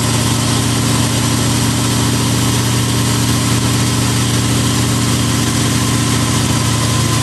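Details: 1988 Lamborghini Countach replica after fixing a fuel starvation no-start, fuel pressure primed to about 40: steady, even idle with a deep, smooth rumble and no misses, stumbles or surging; engine idling healthily.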